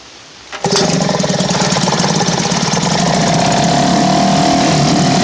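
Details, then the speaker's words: Elgin 2.5 hp single-cylinder outboard, thought late-1940s to 1955, running in a test barrel after a choked start. It had no spark until the points were reset to .016 instead of the specified .020. It catches at once into a steady, even beat with no misses: runs pretty smooth. "It runs pretty smooth."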